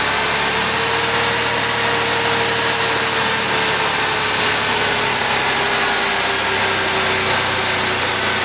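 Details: GM Buick 3800 DIS engine, after a repair for an intermittent misfire that ran it on about four cylinders, on its test fire after reassembly: steady even idle, smooth constant tone, no stumble or missed beats; normal idle.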